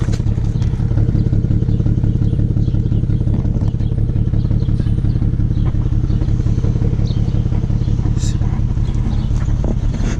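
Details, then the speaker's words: 2008 BMW 335xi coupe, cold idle: uneven, lumpy low throb with roughly two stumbles a second and an injector-like tick. The owner suspects a misfire; the computer flagged coils 4 and 6, which were changed. It smooths out once warm. "it does have a small misfire I could hear it a little bit of an injector tick"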